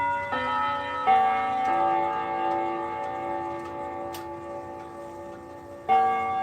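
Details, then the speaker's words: Haven Inglewood clock: clear ringing chime notes with a faint buzzy edge on the strikes; something appears to be touching the chime rods, causing vibration; suspected, not confirmed. "Something's touching it causing that [bell] So, I'll just lift up the rods to see if you can hear the vibration. I'm not sure if I will. It's a very small vibration but is impacted pretty pretty bad."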